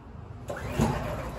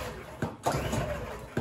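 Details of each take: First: Champion dual fuel generator on propane: rasping recoil pulls and a brief chug that never catches, despite priming and half an hour of pulling. Cause is a faulty-batch propane regulator, and the fix is a free replacement regulator from the manufacturer. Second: Champion dual fuel generator on propane, after swapping the faulty regulator for a new replacement: two quick starter-cord pulls, then it catches and builds into a steady, even run; starts fine.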